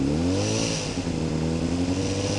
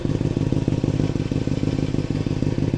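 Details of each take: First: 2007 Honda CBR600RR motorcycle, recently bought: light buzzy rattle over the exhaust note between about 3,000 and 4,000 rpm, seemingly from the front; owner suspects a vibrating headlight or license plate, reportedly not the cam chain tensioner. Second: 2007 Honda CBR600RR, engine warm at 157°F, startup then revving: even, crisp idle and quick clean revs rising and falling with no rattle or misfire; a healthy four-cylinder exhaust note.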